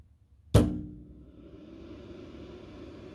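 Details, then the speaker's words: New CyberPower CPS1500AVR UPS, charged, with no load: after the self-test, one loud thunk felt in the top of the case, then the fan ramps to full speed with a steady airy roar blowing cool air indefinitely; cause unclear, owner plans to contact maker. "loud thump and then the fan just goes crazy and it'll stay that way and definitely the air coming out of the fan is cold"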